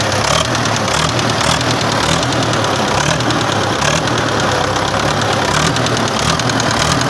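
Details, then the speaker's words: Idling engine with a light, repeated knock; owner suspected camshaft, removed the front cover, restored injection pump and injectors without result, knocking for four years, cause unknown; spare original engine available. "стучит короче думал взять шконка на распредвале нихера лобове ну снял нихера насосов отреставрировал форсунки нифига уже четвертый год вот так постукивает"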